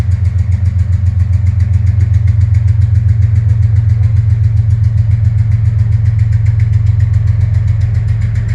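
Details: Deep, very even thump about 220 per minute over a heavy diesel's low roar as a CSX freight locomotive pulls through Princeton, Indiana; suspected rod knock, not confirmed, locomotive smoking heavily, then stalls.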